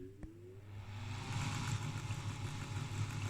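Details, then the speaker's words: Cooling fan from a 1960 Branson Sonifier LS75 power supply, rated 105–125 V and 16 W, run on 120 V: spins up to a steady hum with a rough, uneven rumble underneath. Bearings completely worn. "it is 16 watts it's really really powerful but i can hear that can hear this bearings are completely did so that we can't use"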